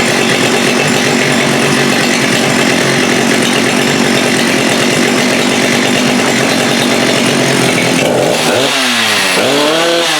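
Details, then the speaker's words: Husqvarna 394 chainsaw with HyWay Titanikel 58mm big bore pop-up cylinder (395 project), cold day, original OEM carb, hard to start; no load it screams flat out but stalls at about 10,900 rpm, burbling rich at the top where the carb's rev limiting kicks in, versus expected 12,500; high-speed screw unresponsive. "So what's happening here is that saw will get to 10.9 or 10,920 RPMs, and that's when the rev limiter of that carb kicks in, which in my most humble opinion is just way too slow. That thing should get to about 12.5, so we're losing almost 2,000 RPMs."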